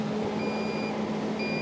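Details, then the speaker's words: Onan generator just started on three-phase output, legs at 207 V each: two long high beeps about a second apart over a steady hum. The monitor alarm is suspected to be under-voltage, not confirmed. "that is annoying what is that alarm is it an under voltage probably"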